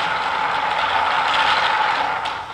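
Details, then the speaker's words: Homemade wooden flat thrust bearing with 5/8" steel ball bearings in a hardboard cage running in a 5/8 core-box trough; cage turns at about half race speed: even, steady rolling hiss, no clicks or grinding; normal smooth rotation. "very smoothly so the cage is turning at about half the speed of what the race is this is a pretty good combination and turns very smoothly and the cage keeps these bearings from colliding with each other"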